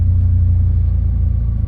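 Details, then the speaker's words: 1998 Eclipse GSX that came in as a crank no-start after slowly dying, running after fuel pump plug pins were reseated: deep steady rumble that sags and fades as jiggling the pump cuts power; melted plug and hot wires, pump suspected failing; stalling from intermittent fuel pump power. "So I went ahead and plugged it back in and kind of moved the pins around a little bit, and you can hear, I mean, the car is running now, but if I jiggle the pump in a particular way,"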